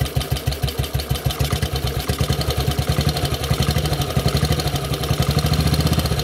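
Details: Model 8 motorcycle engine idling, recorded cold then hot, with a fast regular knock on every firing pulse; more noticeable when riding at 40 mph and above, cause unclear.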